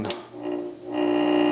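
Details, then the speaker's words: Ceiling fan that stopped working, powered on: after a switch click a steady mains-pitched buzz, rotor tries but fails to turn; stalled motor, likely from a failed run capacitor. "it's just buzzing it is just buzzing it's not really doing anything he's trying to turn trying to rotate but mostly it's just buzzing"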